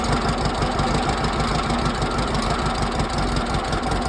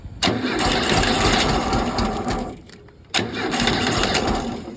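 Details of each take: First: 1968 air-cooled Volkswagen flat-four bought used, first start on squirted gas: catches and settles into a steady loud idle, about three beats per second, no sharp valve tapping; normal idle. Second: 1968 Volkswagen engine rescued from garbage, first start attempt with gas fed from a squirt bottle into the carburettor; catches in two rough sputtering bursts that bog and die: too much fuel flooding it.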